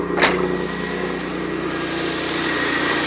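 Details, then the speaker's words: 1991 Pontiac Firebird 3.1 V6 idling after replacing worn, loose smog pump with refurbished one: steady, even idle with smooth low hum, no knocks or squeal; much quieter than before. "Much better. Much better. A lot quieter. A lot quieter."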